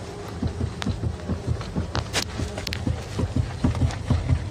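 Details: Irregular dull low thumps, roughly two a second, as the steering wheel is worked; a dry electric power steering telescopic shaft coupling knocking in the column, fixed by removing the motor, cleaning and greasing the coupling, silent afterwards.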